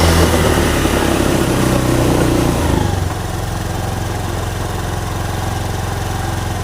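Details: Honda Beat Street FI scooter that stumbled and died when throttled, after cleaning built-up dirt deposits: single-cylinder idle settles into an even, steady beat at about 220 a minute with no stumbling.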